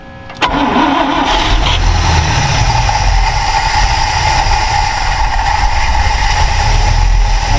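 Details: Ford Falcon Ranchero ("FalconStein"), carburetor pouring fuel: cranks, catches and settles into a loud, somewhat uneven low rumble; owner suspects a stuck carburetor float.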